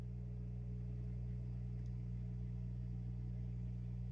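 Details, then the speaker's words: 6040 CNC, 1,500 W water-cooled spindle, coolant pump circulating washer fluid and distilled water: steady low even hum, no knocks or surging, bubbles passing; pump running smoothly and healthy. "see some bubbles going through and I can hear the hum every slight hum in the background"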